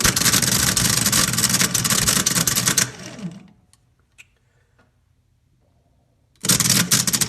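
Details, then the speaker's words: Old starter from a 1984 GMC Jimmy 350, bench-tested off the vehicle (Jimmy clicks and won't start): rough, uneven whirring chatter; pinion gear bouncing and jumping instead of running smoothly, starter judged shot. "where the gear action is happening and it's not smooth it's bouncing everywhere jumping all around"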